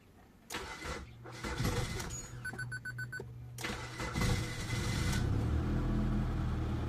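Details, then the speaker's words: Samsung Korean car that lacks power and starts hard; long cranking before the engine reluctantly catches into an uneven idle. Adjusting the TPS and distributor did not help, so removing the fuel pump was decided on next. Hard starting. "ang problema maglartay kusog mga idol hard startog mga idol mga idol pero walang lawas idol hard start mga idol"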